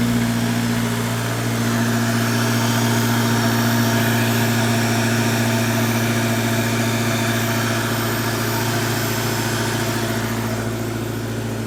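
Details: Honda four-cylinder with S2000 timing chain tensioner and new VTEC solenoid gasket, mic away from intake: even, steady idle with smooth low drone, no chain rattle; noticeably quieter after tensioner install.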